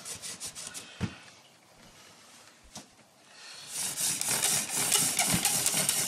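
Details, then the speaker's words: Hand-drill fire-starting with a new, unused prickly lettuce spindle on a Western Red Cedar hearth; quick wooden rubbing with a squeaky hissing edge as the spindle slips, meaning not enough friction yet. "hear the squeaking which means i don't have enough friction yet"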